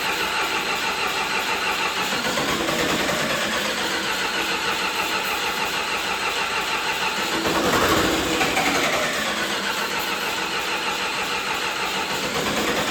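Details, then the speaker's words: John Deere 450C bulldozer diesel, reassembled, in neutral with a little throttle, air in lines suspected: starter churns steadily over ten seconds, never fires; crank no start, fuel pump gets no power. "All right, something is not right. I'm gonna check for power going to the fuel pump quick, make sure that that's working."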